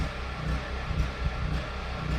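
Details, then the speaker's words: Duromax generator under household load (refrigerator, microwave, window air conditioner) grunting as it runs out of gas: low uneven rumble sagging about twice a second until it quits; engine surging from fuel starvation. "generators grunting because it's running out of gas which is fine that's what we want"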